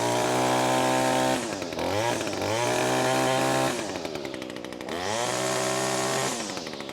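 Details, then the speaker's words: Echo SRM225 two-stroke trimmer, after a low-power fix, at full throttle: a strong, clean, high-pitched scream now peaking at the correct RPM, dropping off and revving back smoothly. It has more power, a cleaner plug burn and smoother running. "there is quite a big difference to my ear heing that thing completely peek out like it needs to it's hitting the RPMs I wanted that now you'll get quite a bit more power out of it"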